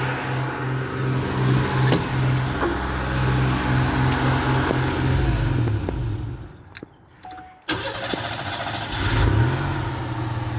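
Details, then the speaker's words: 1988 XC, 3.8 "red dot" V6 (150 hp), started from cold: raised idle drops at the kick down, cuts out briefly, restarts and settles to a steady even idle; owner notes a misfire pending tune-up. "there you go there's the kick down so now we're a good idle"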